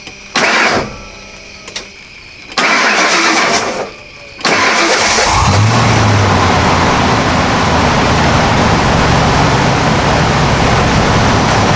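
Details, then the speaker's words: 1995 Ford F250 (OBS) first fire-up, outdoors in rain, radiator freshly filled with antifreeze, air inlet box not yet fitted: a few cranking bursts, then it catches and settles into a steady, even idle with no knocks or misses; healthy. "I think I'm ready to hook the battery up and I'll crank this thing over and seal so fire"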